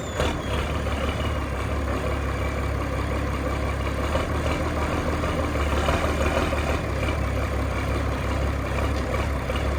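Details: 6060 tractor with loader, started with a little ether, driven off a trailer: deep, even diesel rumble with no misses, knocks or puffing, pulling smoothly; strong power, no blow-by; normal running.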